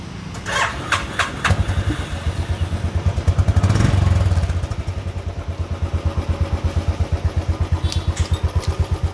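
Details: Royal Enfield Classic 500 with hard starting and misfiring: several cranking bursts that won't catch because the fuel pump wasn't running, then an even single-cylinder thump near 170 a minute once it fires; check the fuel pump and relay.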